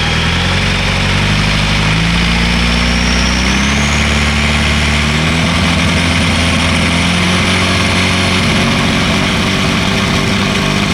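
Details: 1986 VW Golf with swapped 1.9 TDI ALH, mechanical Bosch VE pump, Garrett T25 turbo, lightly loaded: revs wander and the beat turns uneven and stumbling at times; intermittent light-load misfire, worse in winter, cause unknown.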